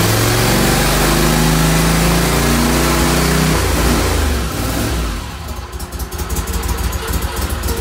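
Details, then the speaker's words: Mud Buddy HDR 50 EFI mud motor, ECM-controlled, on final shop checklist: steady, even low-speed run with a regular firing beat around three and a half per second, smooth and unlabored, then settles quieter; low-speed rpm correct. "this little one our our low speed rpm is right where we need it to be and this is the efi so it's controlled by the ECM so that's good"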